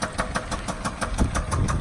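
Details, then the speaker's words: 2006 Land Rover Range Rover LR3 bought at auction with a bad motor, no check engine light: heavy, regular pounding knock about seven times a second through a rough idle, a serious internal engine knock. "As you can tell, the motor is... Holy crap, sounds like a damn Kool-Aid man trying to get out."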